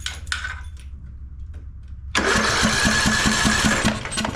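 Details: Craftsman LT1000 mower, single-cylinder Briggs & Stratton 17.5 Intek, with the replacement ignition coil gapped and fitted, spark tester grounded: after quiet handling the starter cranks at a steady two and a half beats a second; the engine turns over normally and now has spark.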